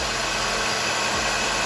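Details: Nissan Primera P12 after replacing the alternator bearings and brushes, engine running: even hiss and steady hum with no whine or growl, so the alternator runs quiet and healthy.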